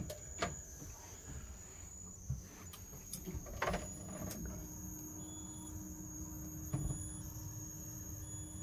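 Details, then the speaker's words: Vokera gas boiler start-up self-test: several sharp relay clicks, then faint steady fan hum and tone, no ignition, locking out with A01 ignition fault (possible no gas, ignition generator or flame rectification). "So whilst it was doing its self-test, when you initially turn it on, it goes through its own initial sequence and it's detected A01 fault. Now A01 fault on one of these is an ignition fault."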